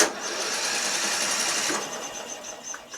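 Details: Murray Select 12.5 HP 40-inch lawn tractor, in neutral, deck up, choked: light, fast, even starter whir with no compression pulses slowing it; engine spins freely with no compression, though key, solenoid and starter work.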